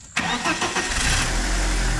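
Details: BMW E36 with turbocharged M44 engine, just finished build with exhaust silencer fitted: engine cranks briefly, catches at once and settles to steady even idle with no knocks or misses; healthy start.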